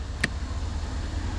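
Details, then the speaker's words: 2019 Ram 1500 (used, Longhorn interior) electric parking brake pulled on: one short click over a quiet idle hum, with no grinding or straining; the brake engages normally. "There it is, the electric parking brake, a little bitty thing. Not a fan. You can hear when I pull it on."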